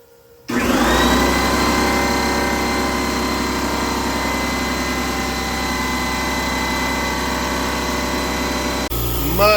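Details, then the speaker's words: New Harbor Freight Fortress direct-drive, non-belt air compressor replacing a leaky, loud Northern Tool unit: the motor kicks on and settles into a steady, smooth hum with a faint even whine, no knocks or rattles; very quiet and healthy. "Much quieter. That's amazing. Wow, that is like for a non-belt driven direct motor, whatever you call it. This is probably the quietest air compressor I've ever heard, like for real."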